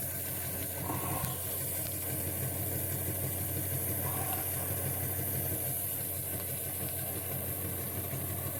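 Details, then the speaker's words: Model train Doodlebug loco after broken gears were repaired with CA glue and bicarb soda, on transformer power at slow speed before going flat out. Quiet, even motor hum with a soft gear whirr, no catching or clicking: the rebuilt gearbox turns smoothly. "Alright, so that's just slow. Let's flat out."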